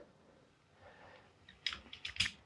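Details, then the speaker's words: Petzl NEOX belay device taking up slack: quiet, then a few sharp light clicks as the climber comes tight on the rope. The rope tension makes the wheel rub against its blocking stops, which is normal. "When you start to hear that click, when it starts to be, the climber has some tension on the rope,"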